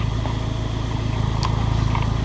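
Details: Abarth Punto Evo, bought as a non-runner, now nearly up to temperature and idling in normal mode. It has a steady, even, fairly loud, deep exhaust note with no misses, knocks, pops or bangs: normal warm idle.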